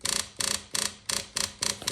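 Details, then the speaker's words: 2000 Kawasaki Ninja ZX-7R 750, no-crank no-start, engine not running, ignition on after fuel pump plugged in: thin high buzz in quick pulses about three a second as the fuel pump primes; normal fuel pump priming. "Now, I'mma plug the fuel pump up. The fuel pump will make the noise. Watch this."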